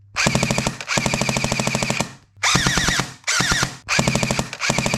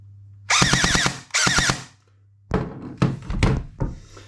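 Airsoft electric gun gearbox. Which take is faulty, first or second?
second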